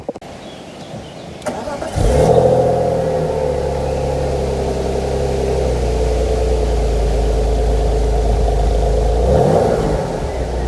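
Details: Cold start of a 25-year-old BMW E46 inline-six of 150 hp: the starter churns, catches at about two seconds, then settles into a smooth, even six-cylinder idle with a brief blip. A normal, healthy cold start.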